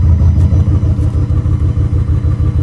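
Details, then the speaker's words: V8 with Holley Dominator EFI restarted without cycling the ignition key. It runs with a lumpy, stumbling idle because there is no injector pulse on cylinders 1 and 3. The misfire persists until a key power cycle to the ECU clears it. "I'm going to start it without cycling ignition off and see if the problem remains still missing"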